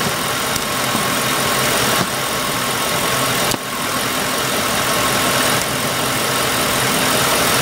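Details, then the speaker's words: Ford Grand Marquis with high idle (P0507) after the minimum idle speed adjustment: a steady, even petrol idle as the two-wire idle air control valve is plugged back in, RPM rises and the IAC reacts. Normal computer-controlled idle. "we should hear an RPM rise when I do this you hear the idle air control motor start to react"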